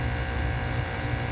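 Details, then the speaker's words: Heat pump outdoor condenser in heating mode after repair, compressor previously not humming at all; steady low hum under even fan rush, no clicking or cutting out, compressor and condenser fan running normally. "compressor running good we'll have heat tonight"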